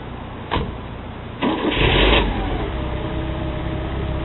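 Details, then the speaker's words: Porsche 944 with a new timing belt that cranks but won't start with the AC compressor/alternator serpentine belt fitted. With that belt removed it cranks about a second, fires and settles into a smooth, steady idle. "so okay you see the car started everything is okay here is i guess yeah everything is fine doesn't seem to have any problem whatsoever"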